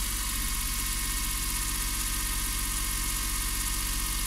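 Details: Suzuki Every 62V van started after sitting four months, without the jump starter: even, steady putter at idle with regular firing pulses and no misses or knocks; the engine idles normally.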